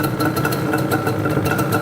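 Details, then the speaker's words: Yamaha Banshee two-stroke shortly after cold first-kick start: lumpy, burbling idle with uneven popping pulses and some smoke; running rich, choke seemingly held on permanently. "A little smoky girl in the back there. Little on the rich side."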